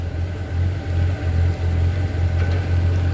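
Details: 1978 Chevy C10 with a freshened 400 V8, carburetor just adjusted and a 4.3 starter fitted: deep steady idle with an even low rumble, no misses or knocks.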